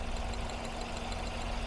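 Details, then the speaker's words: Classic Ford Focus 1.8 hatchback four-cylinder, warm, idling after water was found in the plug well. It had misfired on cylinders 1 and 3 with three ignition coils failed. Every cylinder now works: smooth, even idle with no misfire stumble. "现在工作正常了看了没三缸，刚才三缸拔出来都没反应看一下对不对现在是每个气缸都属于正常工作的"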